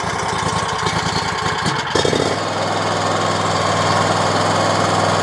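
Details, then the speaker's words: RedMax zero-turn mower with Kawasaki engine, after compression checks, vacuum-leak hunting, new intake gaskets and a carburetor tune that cured surging and backfiring: after a rough patch it settles into a smooth, steady run with no surging. "Wow, that runs so much better. Wow."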